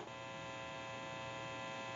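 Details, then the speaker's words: Candlestick telephone after repair (original receiver capsule, new cords), final checkout through test amplifier with button pressed: steady even low electrical buzz from the amplifier, not the phone. Normal amplifier hum. "So if you hear any noise during the final checkout, it will be coming from the amplifier and not the telephone. I'm going to go ahead and press the button. You may hear a little bit of an electrical hum."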